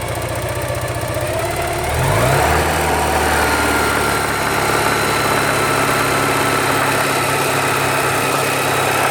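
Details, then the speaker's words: 1985 Porsche 944: steady idle, then a brief rev, with a rhythmic low knock as revs settle, appearing at about 2,000 rpm. Owner suspects rod knock, unconfirmed. "1985 Porsche 944. What I think is rod knock. Comes at about 2,000 RPM."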